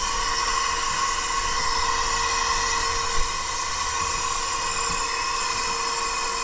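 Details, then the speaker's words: 2012 Western Star log truck diesel idling: constant high hiss over the steady idle and fan whine, air leaking at the fan clutch, which is junk and needs replacing. "All right, cruise. Yeah, I hear something going on here. Where's the air?"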